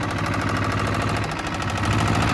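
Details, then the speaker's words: Steyr 650 tractor, first time driving under its own power in about 30 years: heavy, steady top-end knock in time with the engine, with heavy smoke; owner suspects tappet adjustment is a mile out. "It's just knocking away a mate there. But it's top end. It's just adjustment, I would say. The tappets are a mile out."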